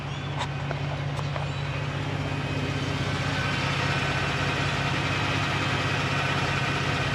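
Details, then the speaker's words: New 2020 Ford Raptor idling: faint, even high-pitched whine over the engine, no knock, quieter than on the other Raptor; said to be the transmission. "I can kind of hear the same whine. It's just not quite as loud as the other Raptor."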